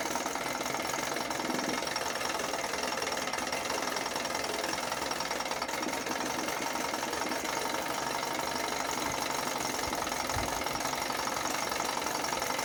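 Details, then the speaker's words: 1980 Chrysler Sea King 15 hp two-stroke twin outboard, cold on an engine stand, after ignition coil replacement for a quarter-to-three-quarter-throttle misfire: even, crackly idle buzz with no stumbles or dropouts, responsive, no hesitation. "I think I fixed it. It's really responsive. There's no hesitation."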